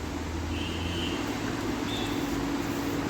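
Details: Hero HF Deluxe BS6 with a starting problem, fuel pump tested pumping water in place of petrol, clogged filter found dead; steady even low hum with no stutter, pump running smoothly and delivering pressure.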